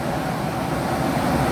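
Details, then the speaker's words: Carrier Infinity 58MVC080 furnace, flood-damaged and repaired with a replacement gas valve, inducer, pressure switches and board: the blower fan comes on a few seconds after the burners fire, a steady, even rush of air with no rattle or scraping, running normally. "It fired, and within a few more seconds the blower fan will turn on. There comes the blower fan."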